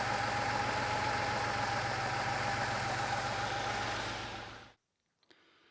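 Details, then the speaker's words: Porsche 911 Carrera flat-six, first start after engine teardown and cylinder head rebuild, idling lumpy and not on all cylinders; number 5 injector silent on stethoscope, clogged or stuck after long sitting. "It's running, but it sounds like it's not running on all the cylinders. And I listened to the fuel injectors, and sure enough, number 5 is not firing."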